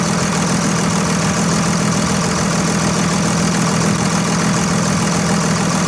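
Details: 2001 Dodge Ram 2500 Cummins turbo diesel started after a Fleetguard FS19855 fuel filter change and bowl priming: steady, even diesel idle clatter with no stumbling, hunting or misses; healthy running, no leaks after about 5 minutes.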